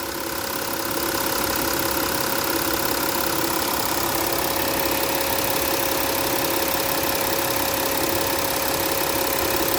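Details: 2015 Porsche Cayenne Diesel at idle: light, quick injector tick about three a second over a smooth hum, typical of high-pressure diesel fuel injection; normal diesel idle, nothing wrong.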